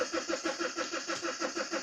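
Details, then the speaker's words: BMW 3 Series that stopped running just after its MOT: steady quick cranking that never fires; rail pressure reads about 4–21 bar against roughly 400 wanted, in-tank fuel pump not heard, cluster showed fuel pump control; fuel pressure issue. "So, so we've got a fuel pressure issue. I can't hear the fuel pump in the tank."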